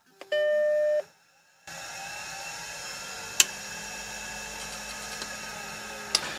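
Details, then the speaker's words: Suspect SCSI hard drive from a Mac machine marked "bad HD", powered only, not connected to motherboard: steady spin-up whine with a couple of seek clicks for a few seconds, then it abruptly spins down. "it's spun up it started seeking and then it just immediately spun down"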